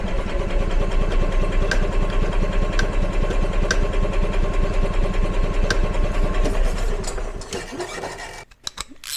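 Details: EZGO gas golf cart single-cylinder engine, long stored, after carb replacement, gas pedal pressed: uneven, lumpy chugging about two and a half beats per second, hunting rather than settling; still running rough, seemingly starved for fuel.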